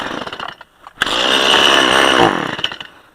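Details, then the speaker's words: Small two-stroke chainsaw running normally again after the spark arrestor was found to be the problem: blips, then revs clean and high for over a second and drops back, strong and even. "And the mini boss is back to running like a raped ape. So that spark arresttor definitely was the problem."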